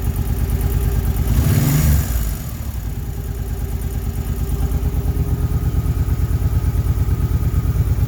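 Steady V-twin idle with a light, regular tick riding over it after a brief blip of the throttle; the source is still unknown.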